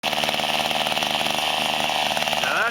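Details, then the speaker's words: Mantis SV-4B Type 1E two-stroke tiller, mid-1990s to early 2000s, after Zama carburetor rebuild: small engine buzzing high and steady, firing evenly with no stumbling or surging; normal running. "the sound of a working carburetor hell yeah not bad 15 bucks"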